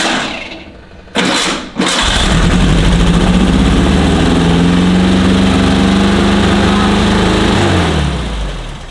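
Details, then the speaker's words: VW type 1 engined sandrail, first run after revival: it cranks twice, catches, then holds a fast, steady high idle, dropping only near the end, while oil pressure and the alternator light are checked; idle set too high, carbs not yet adjusted. "You don't mind having the idle that high? I'm just gonna run it."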